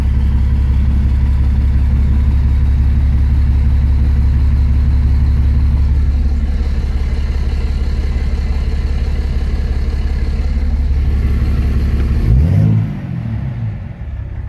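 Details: 2006 Dodge Ram 2500 Cummins diesel with 48RE automatic, in gear on the brake at about 500–700 rpm: deep, strained drone held for seconds, then it drops away; the engine lugs, smoking black, EGTs near 800.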